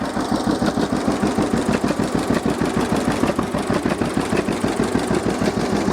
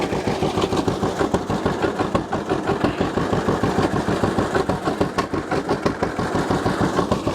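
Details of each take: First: 1950 John Deere GW two-cylinder tractor (live hydraulics, Char-Lynn power steering, Baker Valve) idling in neutral after starting; slow, even putt-putt about three beats a second, steady and unlabored: normal healthy idle. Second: 1950 John Deere GW two-cylinder tractor idling just after starting, run with choke pulled out slightly; slow, uneven, loping putt. Rough idle; owner suspects clogged carburetor idle passages needing cleaning, unconfirmed.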